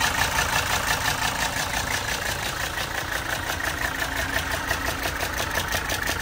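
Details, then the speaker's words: 1980 Mercedes 300SD turbo diesel, 141K miles, starts easily with no excessive smoke: steady even idle clatter, about two beats a second, with a light rattle on top from a loose part; engine sounds healthy. "engine bay is in very good shape and the motor sounds very healthy"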